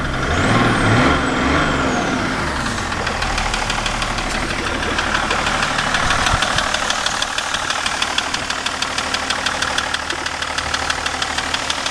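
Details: BMW E38 730d M57 diesel at idle; a sharp, regular tapping knock about three times a second rides over the idle, source unclear. Engine knock.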